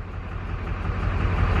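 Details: LB7 Duramax diesel truck, unrun for six years, fitted with new injectors; idles with an uneven, lumpy beat stumbling on one cylinder, a misfire after codes were cleared; owner suspects a part is causing it, not confirmed.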